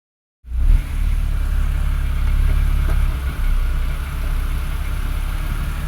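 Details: 2008 BMW X3 with an intermittent misfire felt in traffic and on long drives, codes on cylinders 1, 5, 3 and 6: deep steady drone under load with a faint stumble, misfire fixed with new OEM plugs.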